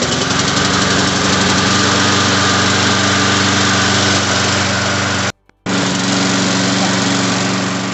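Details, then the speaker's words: Lawn mower's small single-cylinder engine after a complete tune-up, carburetor work, fresh oil, a full tank and priming; steady even run at about four pops a second, one brief dropout, no misfire, a little smoke; normal running. "guys, the machine's working good. It's gonna throw a little bit of smoke because that's the way it is."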